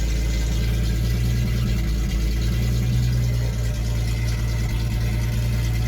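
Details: 1976 Datsun 280Z six, first start after sitting four or five years: loud deep open-pipe rumble holding fairly steady idle with small rises; normal running, started right up; won't restart hot, owner suspects distributor.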